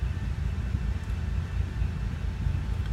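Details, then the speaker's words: 1997 Oldsmobile Cutlass Supreme SL after new parts were fitted, service engine light still on: a low, steady idle with a slightly uneven, loping beat, a touch rough. The owner suspects fuel over a year old; a new fuel filter is coming. "I got a decent Idol now it is just a little bit rough probably got fuel in there that's bent"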